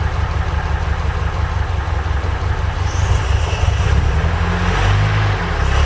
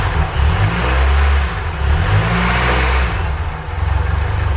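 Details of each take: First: Ford Capri Calypso after 14 years stored, old tank fuel diluted with about seven litres fresh, sticky accelerator: uneven low idle around 750 rpm with small pops and stumbles; backfiring from stale fuel. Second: Ford Capri Calypso first start after 14 years standing, fuel only in the carburetor float chamber: smooth, even running through throttle blips, picking up and settling cleanly with no misses.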